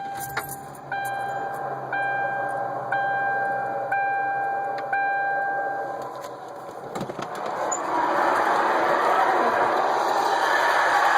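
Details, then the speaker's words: 1999 Ford Crown Victoria P71. After the key chime, the engine starts and a loud, steady mid-pitched squeal follows. It began while driving, fades after running, is loudest on restart and almost goes away with the AC on. "yesterday i started making this funny noise while i was driving and then it goes away after a while after i cut it off but when i cut it back on it's really loud here we"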